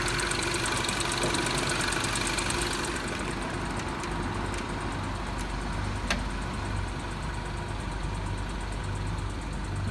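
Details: Mini R56 petrol engine, cold, idling with a low, uneven knock of about three beats a second; it only occurs on throttle or at idle when cold and goes away when coasting or decelerating.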